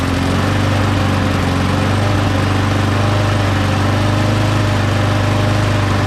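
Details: Mower engine after parts were blown out with compressed air and refitted, primed three times: steady even drone with a low constant beat, no misses or surging; runs smoothly, though the primer still isn't priming.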